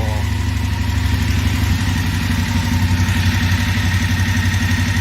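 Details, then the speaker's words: BMW F850GS twin idling, one of several recordings across its ownership: light, fairly regular tick about four times a second over a steady low rumble from the top end; owner says bike always rattled, cause unconfirmed. "i mean i think there's a fair assumption that i've always kind of had a rattly claddly bike"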